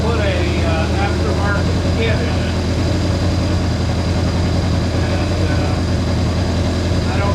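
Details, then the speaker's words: Honda CA160 Benly engine after carburetor rework (two clogged jets cleared, float level set): steady even thrum, no skips or knocks, picks up cleanly when revved; runs pretty good. "Well, ladies and gentlemen, it runs it runs pretty good, too. Sounded pretty good."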